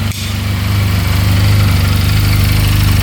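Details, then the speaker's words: 2022 Benelli 302S motorcycle after a simple fix, just fired up, idling at 1700 rpm; steady, even low idle pulsing three to four beats a second, no knocks in top or bottom end. "Idling at 1700 RPM. No knocking in the top end. Bottom end sounds good."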